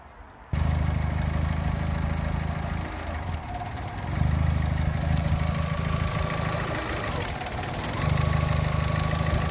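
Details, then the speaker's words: 2008 Fiat 500 1.2 petrol, 25,000 miles, idling: idle sags every few seconds, rough drone nearly dying then surging back; hunting idle, owner suspects air leak, later finds taped-up cracked intake pipe near airbox. "you get to a junction and you pop the idle, and it just keeps going like that. So my brain says this must be an air leak."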